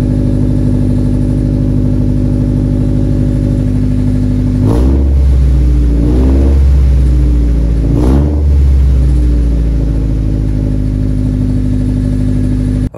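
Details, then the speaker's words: Nissan 240SX after patching all exhaust holes: heavy raspy, booming blat on each throttle blip from the rear; still sounds like an exhaust leak, owner suspects internal muffler damage, not confirmed. "super weird it still sounds super exhaust leaky it honestly might be damag inside of the muffler actually it might be the actual Muffler that uh just sounds really bad"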